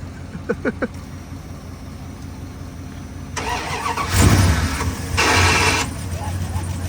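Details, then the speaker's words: 1997 Dodge Ram 1500 SLT Laramie after new spark plugs, wires, distributor cap and rotor, jump-started from another truck's battery: brief crank, then catches and settles into a steady rumbling idle; previously only cranked and sputtered, now runs, with slight squeak suspected from a pulley or water pump. "Yeah, that's it. It starts. That scratching was him pushing the starter again. It's got a push start. So, we're going to get rid of that. So, yeah, it didn't start before and it was sputtering. Now, it sounds good."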